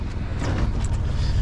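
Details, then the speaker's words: Sailboat inboard diesel restarted after rough running, which the owner traced to his fuel tap having been left off; it is ticking over beautifully at 850 rpm, a low, even chug with wind noise and no knocks or hunting. Normal idle. "I wonder if you can hear our beautiful engine running. Ticking over. The rain has stopped. Ticking over beautifully at 850 rpm."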